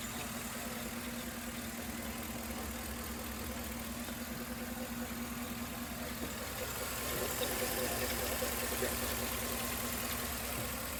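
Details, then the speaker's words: 2011 Chevy Tahoe, P0300 with constant cylinder 3 misfire despite new plugs, wires and coil: quiet lumpy idle with soft recurring stumble two or three times a second, no typical GM lifter tick; misfire at idle, internal engine fault suspected. "Now it definitely is missing, and it is making a little bit of noise, but it's definitely not your typical GM lifter and tick, so it is kind of weird, but I think something else might be going on."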